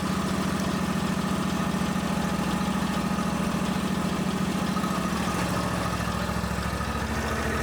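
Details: John Deere X350 riding mower at fast idle, before a battery charging check with a DC meter: steady, even single-cylinder beat with no misses, knocks or rattles. Healthy running; later reads 14.4 V, charging fine.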